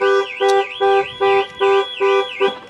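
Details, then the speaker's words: Cheap used Range Rover's alarm: about seven even two-tone bursts a second apart with a warbling sweep on top. The alarm works properly. "the alarm works"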